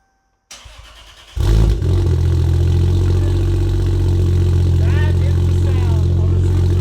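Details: MK4 A80 Toyota Supra Turbo after a new Precision wastegate and dump pipe were fitted to cure a leaky wastegate: the engine catches after cranking and settles into a steady, even idle with no puffing or fluttering from the exhaust, running clean.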